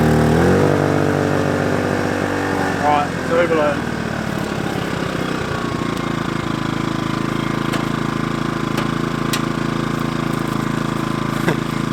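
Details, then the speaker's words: Kings 2kVA generator running air conditioner, fans and lights when the high-current hot water service is added: the engine note sags and labours at lower revs, and the overload trips. Generator overload. "we found the braking Point whole water service airon fans lights it overloaded but it punched well above its weight"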